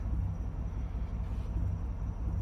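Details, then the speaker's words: Free 2005 Chevrolet Silverado 2500 6.0 V8 of unknown history, on a small battery: deep lumpy idle with occasional dropped beats; random misfire, code P0300 with no cylinder identified, plus an evap code. "I'm guessing we're going to have multiple misfires. That's pretty self-explanatory based on the way it's running, or maybe we'll get a too lean code."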